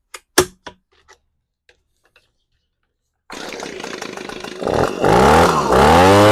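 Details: Echo PB-250 two-stroke leaf blower after coil replacement and carb mixture adjustment (screw set from about 3/4 to 1 turn out): a few handling clicks, then it fires, idles evenly and revs cleanly with a crisp, steady buzz; running well now.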